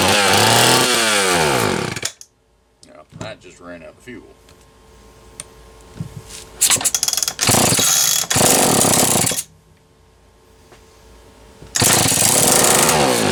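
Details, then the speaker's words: Homelite XL-123 two-stroke chainsaw revving in ragged bursts with sharp pops and bangs, cutting out, smoking, won't idle cleanly; erratic misfiring ignition, owner suspects moisture or dirt on the points. "okay see if i get it to idle may not be able to hear how it's popping and banging and you can see all the smoke"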